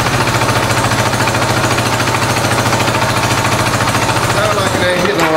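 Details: 1986 Honda Goldwing GL1200 SE-I fuel-injected, first start after electric fuel pump fitted: lumpy, loping idle with missing pulses; pipe test shows two cold pipes, only two cylinders firing; stuck injector suspected.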